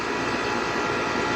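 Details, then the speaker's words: Aircon compressor running during a thermostat-control test, before cold water is applied; compressor running continuously would indicate a faulty thermostat. Steady, even whoosh of airflow over a smooth drone, no clicking or rattling; normal compressor running. "Gumagana na yung compressor niya."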